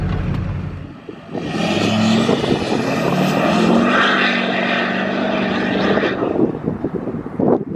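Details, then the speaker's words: Duramax LLY diesel pickup, essentially stock with exhaust and lift pump, on road test: deep steady roar climbs smoothly under hard acceleration with rising turbo whistle, then eases off; runs and pulls clean and even. "as you guys saw, the truck is running good. It sounds good and not too shabby for a stock LLY."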